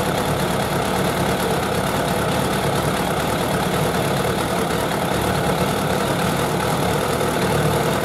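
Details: Suzuki Bandit 1200 four-carburettor naked bike at idle during carburettor synchronisation; steady, even idle with a smooth low hum and no misses or uneven beats, four cylinders sounding balanced, a smooth idle.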